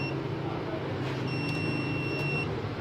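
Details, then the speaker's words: UPS kit with overload set to 700 W and load cut to 700 W of bulbs: high-pitched buzzer gives a short chirp then a long steady beep over a low hum, still signalling overload before it switches on. "अभी चेक करते हैं। बजर 5 बजरें होती हैं। अभी भी ओवरलोड पे कर रहा है, ठीक है।"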